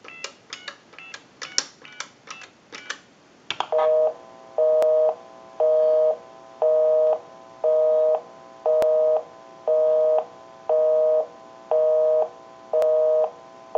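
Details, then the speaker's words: Verizon single-slot payphone after repair and conversion, calling the repairer's own number; touch-tone digits dial quickly, then a steady tone switching on and off about once a second; normal busy signal. "we'll call my number and it'll be busy"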